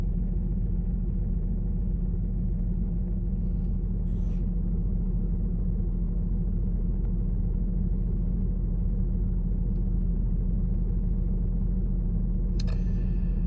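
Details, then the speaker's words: 2006 Infiniti M35 with P0300 code, mass airflow sensor replaced, engine light off but car still shaking: steady low idle rumble with uneven lumpy beat about three pulses a second; random misfire rough idle, cause suspected, not confirmed. "i changed the mass airflow sensor and now the service zone engine light is off but the car is still shaking uh you can see here the vibration on the phone"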